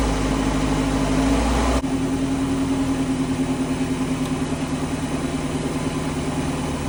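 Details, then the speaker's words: Ford Ranger 2.3-liter 5-speed with completely dead battery jump-started by an 8000 A booster pack: steady hum, brisk even crank about three beats a second, then smooth idle; cranks quickly and starts cleanly. "as you can tell on that, it zinged the old 2.3. It didn't have any trouble. It actually cranked it faster than my Noco, but yeah, it should at 6,000 amps or 8,000 amps, right?"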